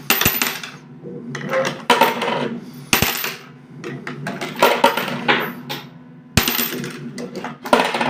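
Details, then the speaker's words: Homemade fairground coin pusher under test, machine laid on its side: metallic clinks and jangles every second or two as coins spill off the ledge and fall, including into the lost-coin path; working fine. "Voilà, vous voyez, ça marche bien. Hop. Entendez, ça tombe. Donc les pièces perdues, ça marche bien aussi."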